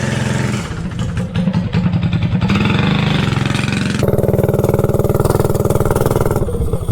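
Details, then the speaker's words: Predator 224-powered GTS minibike on a road test with a cheap generic 16-tooth 3/4-inch-shaft centrifugal clutch: the single-cylinder shudders pulling away instead of picking up smoothly, grabbing less smoothly than the Max Torque clutch; the clutch chatters on engagement, possibly not broken in. "man you can tell right away that this thing does not grab as smooth as the Mac torque that was on here but maybe it needs to be brok in"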